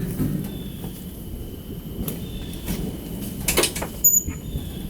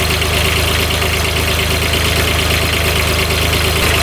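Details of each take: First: 2007 Kubota RTV900 diesel UTV: engine starts and settles into a hard, steady knock about three per second over idle, appearing suddenly while riding; owner fears rod knock, fan not hitting but feels wobbly; cause unclear. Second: Kubota RTV900 diesel UTV (2007 or 2009), previously blowing white smoke with coolant spurting from the radiator, running after repair. Steady even diesel clatter, revs out okay, no leaks; one cylinder's firing uncertain on heat-gun check. Normal diesel running.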